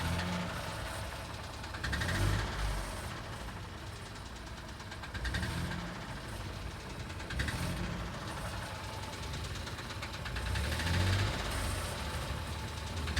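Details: Ford Fiesta 1.0 EcoBoost three-cylinder: quiet idle with dull low knocks and slight swells every few seconds, attributed to improper maintenance.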